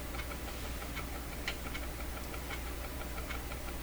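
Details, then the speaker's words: Clairtone console stereo record player after re-lubrication: light sharp tick about every 0.75 s over a hum, once per platter revolution, like a train on tracks, barely noticed at slower speed; cause suspected in the platter, unconfirmed. "sounds a little like a train going down the tracks the slower speed you just don't notice it it's still there though so it's something in the platter because it's it's every time you go around once it makes that sound"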